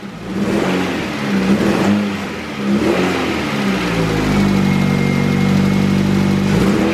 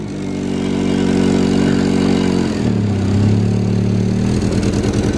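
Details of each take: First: LS engine in a car just worked on, after spitting and stumbling earlier: revs rise and fall, then it settles into a steady, even idle with no stumble; a very slight valve tick, possibly one loose adjustment, is barely noticeable. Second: Honda CR-V engine idling and revving unevenly, wavering stumbling drone; it was throwing misfire codes for every cylinder.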